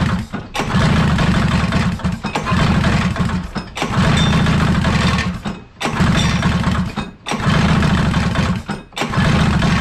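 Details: 1983 Polaris Indy Trail 440 two-stroke snowmobile, barn find revival: fires and runs in ragged bursts, dropping out and picking up every second or two, like flooding; owner suspects running too rich, possibly gasoline in chain case oil; has spark and compression.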